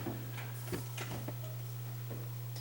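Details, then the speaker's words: Bathroom exhaust fan with rat droppings coming down from it; owner suspects a rat nest inside. When switched on, only a steady low mains buzz with no airflow whoosh; the fan motor hums but does not turn, stalled. "here we turn the uh we'll turn this on and hear that it's just the exhaust fan buzzing it's not even going around"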